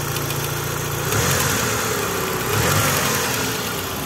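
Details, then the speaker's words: Mitsubishi Lancer 9 with 4G63 turbo, hot idle only: irregular light knock rising slightly with blips. Injector plugs changed nothing; the knock disappears when the tensioner is pinned with a home-made tool. Failed hydraulic timing belt tensioner. "итак lancer 9 с мотором 4 g 63 turbo появился стук как слышно его"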